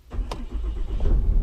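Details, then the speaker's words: Dodge Ram Cummins diesel after fuel filter replacement: short crank, catches into low uneven chug that steadies to idle; may start, shut off and restart before idling; normal start, codes reset afterward. "Of course it won't start in the first time. It's gonna start, shuts off, starts, shuts off, and then it's gonna idle."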